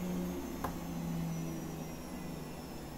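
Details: Gorenje SensoCare WAE74 washing machine after motor bearing replacement, spinning up to 1400 rpm: a quiet, steady hum with a faint tone drifting down and no bearing rumble. Only the worn pump whirs faintly. A normal high-speed spin.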